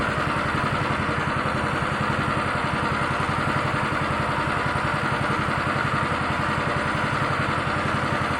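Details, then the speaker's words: Honda Beat injection scooter, rough-starter type, complaint of stumbling on initial throttle: small single idling with a fast, slightly uneven chuffing beat and no clear misses; rough idle before scanning, cause not yet found. "motor udah dalam kondisi belum pakai motor tidak itu normal ya hidupnya ini agak merebet"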